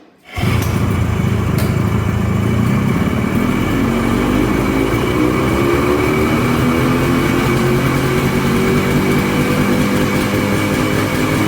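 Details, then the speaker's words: Polaris Colt two-stroke after choke work (choke cable broke): rattly buzz settles into a steady idle that now holds on its own, which it didn't before, running evenly but a little high; normal idle. "Well, it's idling. It didn't idle before. Sounds like it's idling a little high."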